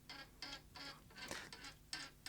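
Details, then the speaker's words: Sony J3 Digital Betacam player with multiple faults, reel tables in small position, tape wound in manually: short repeated high squeaks, about two per second, during tape loading; suspected dry mechanism needing lubrication, cause unconfirmed. "right, there's a noise there. And I don't like that noise. I don't know what's causing that squeakiness. It sounds like something needs a bit of lubrication."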